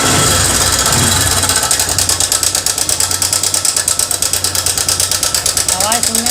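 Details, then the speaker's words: TVS Sport motorcycle: loud fast metallic ticking clatter, about three per second, over the single-cylinder idle; worn timing chain and damaged adjuster/tensioner, both to be replaced. "तो दोस्तों बहुत ज्यादा sound है इसके अंदर कहे का आवाज है ये हमारा टाइमिंग चैन का इशू है टाइमिंग चैन का आवाज है"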